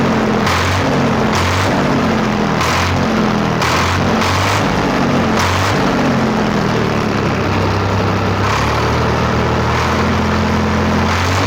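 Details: Swaraj 855 diesel tractor with a morning starting problem and weak brakes, running after start: steady low thrum, even firing, no knocks or misses, settles into steady idle; normal running.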